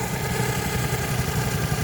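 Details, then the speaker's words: Geo Metro idling after intake, head and exhaust gasket work, belt loosened: rough idle with a faint thin whine; owner suspects the water pump. "Loosen up that belt, now I gotta squeal. As you can hear it, it's whining a little bit."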